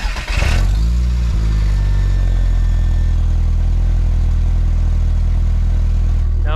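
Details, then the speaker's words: VW Golf MK4 GTI 1.8T with a Mega Racing exhaust kit at cold idle: deep, droning rumble with a loose, blatty edge from the high-mileage exhaust's resonator, cracked in half again after a failed patch. "let me show you all what this sounds like running right now with the cracked exhaust and everything"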